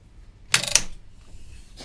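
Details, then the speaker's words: Musicson P-802 1600 W amplifier powered through a 60 W light-bulb limiter: sharp irregular relay clicks, likely from too little supply power; owner next tries a 144 W bulb. "I think that's the relay clicking away. Yeah. You know, I said there was a relay down there. I couldn't hear it before. It may just well be that that light bulb 60 watts is not enough power for this thing."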